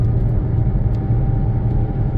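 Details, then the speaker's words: CVT car on a road drive with worn front wheel bearing: deep road rumble with a steady whir on top, much louder when turning left and clearing up a little when turning right. "you can hear that worring noise in the in the front end oh it gets much worse on the left hear it"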